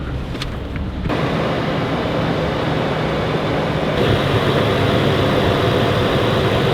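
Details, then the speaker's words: Stock 2016 Toyota 4Runner, first start after Magnuson supercharger install and tune: catches after about a second and settles into a steady, even idle with no knocks, ticks or misses. "it sounds good. I don't know what I'm listening for, but it sounds good."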